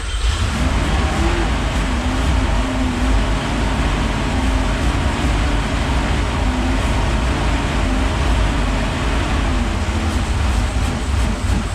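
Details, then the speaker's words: Porsche 928 4.7 L K-Jetronic V8 after sitting 20 years: catches and keeps a steady, somewhat rough rumble on starting spray while fuel delivery past the fuel parts is still uncertain. Cause suspected, not confirmed. "so running on it's just on spray still just on spray yeah so we're getting some fuel in there from this"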